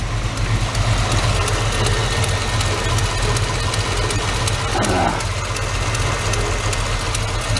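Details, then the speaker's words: Chevy S10 V8-swap truck on solid motor mounts, idle turned down slightly from about 800 rpm as it warms up: the V8 settles into a low, steady, even rumbling idle with no stumble. Normal idle. "I'm going to turn that idle down just a little bit. It's up there at 800, I guess, as it warms up."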